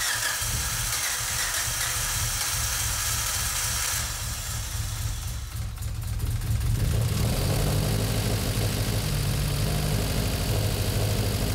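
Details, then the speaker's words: Freshly built Mitsubishi 4G63 in Evo VIII, first start prep, coils and injectors unplugged: steady starter churn about three beats a second, no firing; engine spins freely cranking to build oil pressure, normal. "mike's going to crank it over for a while and see if we get well mostly just to build oil pressure"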